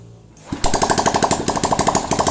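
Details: Honda Revo Absolute after reassembling piston rings, cylinder block and head, good compression, oil circulating: catches in half a second, quick even single-cylinder beat about ten pulses a second. Normal running.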